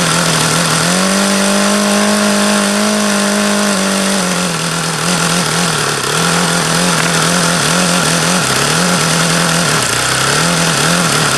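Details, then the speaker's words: HP VT 21 rotary-valve four-stroke glow engine, bought used, run about 25 times: steady buzzy tone that wavers and surges, idle stays high around 4500 rpm and uneven; leaning low-speed needle changes nothing, owner suspects too rich. "this one just doesn't make any goddamn sense at all as to why it won't idle down and why it sounds like no matter how much I lean that low speed out it doesn't change it always sounds crappy"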